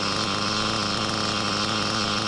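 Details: Used Reds R5T Team Edition RC nitro engine after inspection and reassembly: steady high revs with a rough, hissy rasp over the note; owner thinks it's the rear bearing: rear bearing failure.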